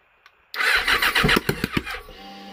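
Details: Yamaha FZ6 motorcycle: starter whirs about a second and a half with uneven puffing pulses, never fires into a steady run. Crank no start.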